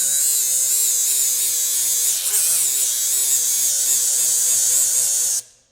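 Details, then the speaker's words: Milwaukee cordless die grinder at power level three with a flap wheel: high motor whine wavers and sags as the wheel bites, then recovers. Bogging under load. "how it kind of stalls out there you know you know kind of the worst that it gets"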